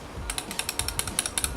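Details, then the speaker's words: 2001 BMW 330i idle control valve, removed and being sprayed with cleaner: crisp, quick clicks about eight to ten a second, the valve moving freely and working properly. "The guy on the forum said free clicking. Seems pretty free clicking to me, right guys?"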